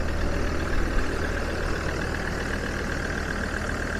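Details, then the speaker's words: Land Rover with no engine ECU communication, temporarily wired directly into the fuse-box relay, starting and idling: steady, even low hum, no misses, knocks or hunting; runs normally, ABS warning lights still on. "so let's see if it starts now so starts up perfect"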